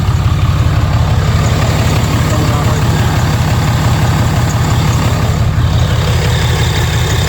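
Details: 2012 Ram 3500 6.7 Cummins diesel after yearly fuel filter swap, primed three times and restarted: steady, deep idle with an even, unbroken rumble, no misses or knocks; running healthy, checked for leaks.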